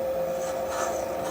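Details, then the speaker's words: Valve seat cutting on a 1981 Harley XL Sportster 1000cc ironhead cylinder head during a valve job: steady mid-pitched tone with a smooth, even rasp and no chatter; the cutter is cutting cleanly and deep enough. "sounds good and clean it sounds like it's cutting nicely that means you cut deep enough"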